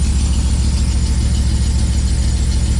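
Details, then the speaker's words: Dodge Dakota R/T, 5.9L Magnum V8 with a miss, idling after exhaust sealing: deep, rhythmically pulsing idle with a thin, high accessory belt squeal on top; belt to be replaced with the supercharger install. "Also, the belt is squealing, but I don't care because once we put the Pro Charger on, we're not gonna have that same belt on."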